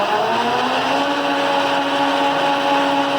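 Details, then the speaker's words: 1983 Clausing Colchester 12 geared-head lathe (13x40) with a Teco VFD, run through its speeds (AE 90, C 165, BD 210, then 415 and 750 RPM) with the feed box engaged. Steady gear whir with even tones, no knocks or grinding; no bad gears, runs normally. "There's no bad gears. I just want to give you an example of it running."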